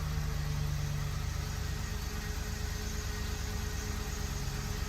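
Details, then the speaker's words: Ford F-150 5.4L 3-valve V8, after a timing job and fix, throttle body relearned: steady, low, even idle with no popping or misfires, firing cleanly on all cylinders; normal idle. "no more popping or anything no more misfires I mean it just runs great"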